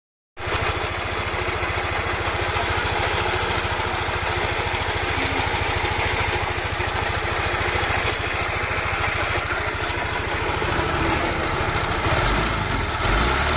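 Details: Yamaha NMAX scooter with a harsh, gravelly rattle from the front of the engine over a fast steady idle; the crankshaft or camshaft was first suspected, and teardown found the fault. Worn camshaft bearing.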